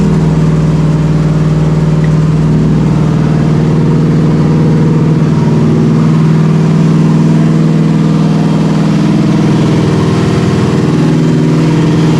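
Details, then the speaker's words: Chevrolet OBS C1500 Silverado at first start after a Holley Terminator X Max injection install: loud, rough, hunting idle with a steady hiss and drone underneath. Vacuum leak somewhere, location not yet found. "all right so I got a vacuum leak thing fired right up all right don't all right we got a a vacuum leak somewhere pretty gnarly vacuum leak yes sir"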